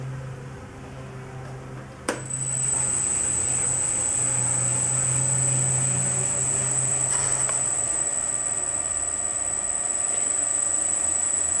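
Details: 1940 Hercus lathe after static balancing of the spindle pulleys, run up through speeds to top speed 1125 rpm; steady smooth hum with fine high whine and no rhythmic thump, only slight vibration at top speed; normal spindle run.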